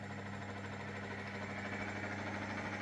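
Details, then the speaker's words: 1997 Myford VM-F milling machine table power feed, working once the drill spindle is switched on: quiet steady motor hum with even low drone, no grinding or clunks; feed runs smoothly. "Maybe the drill has to be on. So, let's turn it on. Right. Ah, there we go. Power feed, baby."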